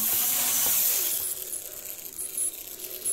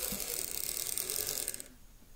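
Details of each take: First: Lima Class 55 Deltic model locomotive, tested on track after a tear-down and clean for poor running. A light, even high-pitched motor and gear whirr with no catching; runs much better and smoothly. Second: Lima Class 55 Deltic model locomotive, poor runner, on DC. Fast buzzy ratcheting chatter in uneven bursts that cuts out and stalls at the track end; rough, jerky running, suspected poor electrical pickup.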